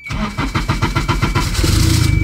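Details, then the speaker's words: Turbocharged K-swapped MR2, first start after the turbo install, in neutral with brake held: about eight quick cranking pulses, then it catches cleanly into a quick, even idle; healthy start. "that's it baby the MR2 is back to life and it sounds amazing look at the turbo pool dude the exhaust is exhausting this thing is freaking crazy"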